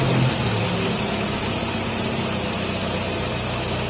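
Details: 1957 Nash Metropolitan four-cylinder barn find that sat for many years, running on old gas after crossed plug wires 3 and 4 were fixed, warming up: a fairly even idle with a steady low rumble and no misfire. Normal idle.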